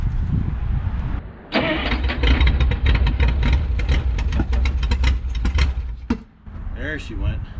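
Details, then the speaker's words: 1951 Studebaker Champion, first start attempts: cranks, catches and runs rough a few seconds then dies, having run about 15 seconds; stalling. "oh you it just ran for like 15 seconds oh damn it"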